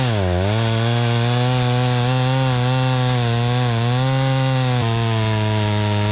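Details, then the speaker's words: Dolmar 112 chainsaw with an 18-inch bar and sharpened chain, bought at a garage sale, started cold and cutting wood: a high-rev two-stroke scream that sags as the chain bites and then recovers. Healthy and strong under load. "the Dolmar 112 runs strong and cuts great."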